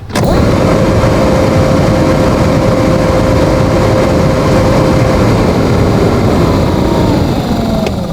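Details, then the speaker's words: Hyundai Tucson with no-blower complaint, after wiring repair: steady whirring for about five seconds, then sagging lower; blower motor now running normally, blowing correct direction. "goody it's even blown in the right direction"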